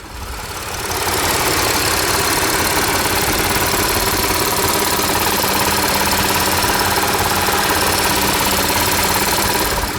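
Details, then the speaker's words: $500 auction Audi A6 quattro V6 idling, heard at the top end: uneven lumpy idle with a light, fast click on top; misfire (P0303 cylinder 3, P0366 camshaft position codes), source of the click undetermined. "all right she's a little clicky there's a little bit of a click to that let's shut her down"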